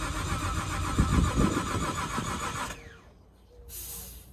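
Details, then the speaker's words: Nissan R33 with a forged RB25: after a backfire at a trigger angle of 108 degrees, trigger angle set to 100; starter cranks steadily at about four beats a second for nearly three seconds, never catches. Cause not confirmed. "okay still nothing so let's go to 110 110 since it is usually supposed to be around 108"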